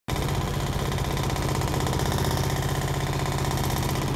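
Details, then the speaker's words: 2005/2006 Maytag Neptune washer on maximum spin speed: fast spin with heavy low drone and loose pulsing beat about two or three a second; drum vibrating excessively and noisily. "guys this is quitting the washer is vibrating a lot noisy vibration you can hear that this you can hear that our washers vibrating okay"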